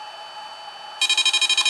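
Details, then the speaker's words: Drone remote controller, reassembled after repair, with only fans otherwise audible: a rapid burst of about eight sharp high beeps in under a second is the fault alarm, so don't launch; a potentiometer possibly needing contact spray is suspected, not confirmed. "Anyway, if you hear this noise, you got a problem. Don't launch it. Shut it down. Figure out what's wrong."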